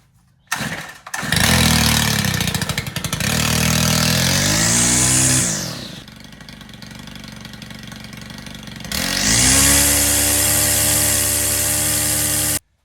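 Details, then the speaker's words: Stihl FS91R 4-mix trimmer that bogged at full throttle, after service: starts, revs cleanly to a high steady scream, smooth idle, pulls back up without bogging; runs healthy. "This thing is running fantastic."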